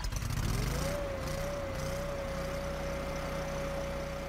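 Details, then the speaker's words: Kohler engine after ECU reset and TPS learn, throttle position calibrated: catches, revs briefly, then settles into smooth steady idle with even tone; runs better once TPS is learned; normal idle. "closing the throttle by hand isn't necessary but the engine runs better once started because the ECU has already learned and calibrated the TPS"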